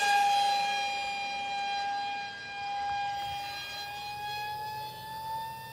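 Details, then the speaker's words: ZOHD Alpha Strike 620mm plane on a 4S 2200 50C pack flying fast on its maiden: steady high whine near 800 Hz with strong overtones, pitch sagging as it passes, audible from far away; loud prop at high throttle. "we got to be breaking the sound barrier with that prop"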